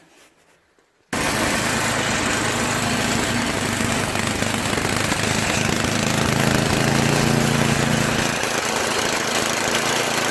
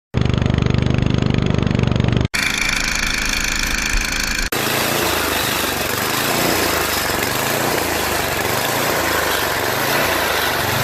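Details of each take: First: Tecumseh two-stage snowblower engine after clearing the clogged carburetor float-bowl fuel jet nut: fires quickly and settles into a steady, even idle with no surging; smooth idle. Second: Tecumseh engine on a two-stage snow blower, run for a couple of minutes from electric start, surging and running rough with tremendous noisy vibration; clogged carburetor fuel jet suspected.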